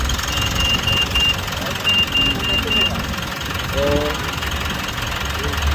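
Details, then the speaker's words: Mitsubishi Montero Gen 3 4N15 diesel, 22,000 km, which was noisy on cold mornings, idling after the rough alternator pulley that fought the belt was replaced: steady even clatter with no squeal, chirp or rattle from belt or pulley. Normal idle. "Yun nga, sabi nga ni boss, gumanda yung tunog dahil sa napalitan natin yung pulley ng alternator."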